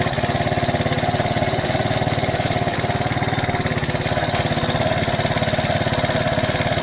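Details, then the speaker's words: Alpha moped small single-cylinder engine, rebuilt with 110 crankshaft and piston kit, 72 head, new bearings; first start after reassembly: fast, even ticking over a steady idle; loose valve clearance, valve tap, later fixed by removing gasket and adjusting valves. "А вот теперь слышим стук клапана"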